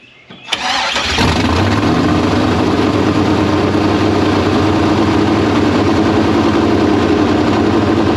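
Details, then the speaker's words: Chevrolet K5 Blazer V8 just converted to Holley Terminator X EFI, throttle blades turned up, no throttle cable: cranks, catches, then holds a super high, loud, slightly uneven idle; dies when brought down, owner suspects vacuum leak, cause not found. "okay I don't have the throttle adjusted properly although it did fire off it super high idle and then when you choke it back down it turns off"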